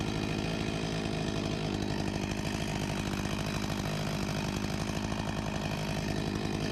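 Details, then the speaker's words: 1989 Husqvarna 254 G two-stroke chainsaw after carburetor refurbishment, 13,000+ rpm with no load: steady, even buzz with a crisp two-stroke rattle, no surging or stumbling, running properly. "Sounds like a good speed right about here 13.000+ RPM with no load ... and to think this saw is 35 years old (1989)"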